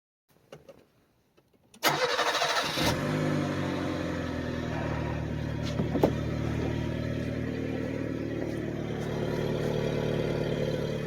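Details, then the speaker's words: Mitsubishi Pajero Mini turbo, before its custom exhaust: the engine starts and settles into a quiet idle with a soft puffing tick; the rusted-out exhaust is leaking, including a hole in the converter. "but the converter I had a hole in it as one of the leaks I was hearing"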